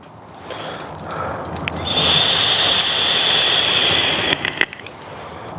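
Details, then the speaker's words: Roaring draw with a thin high whistle as a new steel log-burning tent stove burns hard; irregular creaks and ticks from the stainless flue pipe expanding with heat, faint red glow visible, normal. "it starts to roar you can really hear the pipe creaking then I can definitely see a faint red glow there"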